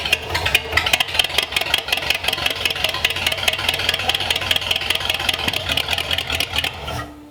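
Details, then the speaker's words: Engine on a newly built run stand, improvised carb, running only on primed fuel: rough, uneven firing for about seven seconds, then it stumbles and stops dead, out of fuel after idling a second, leaving lots of soot. "And it's out of juice. I think we're out of fuel. It idled for like a second."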